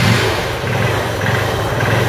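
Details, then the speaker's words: Motorcycle started with key on after fitting a hidden engine on/off kill switch, switch in on position: steady, even single-cylinder putter at idle, no knocks or misses; engine running normally. "మనకైతే బండి అయితే start అయ్యి ఉంది."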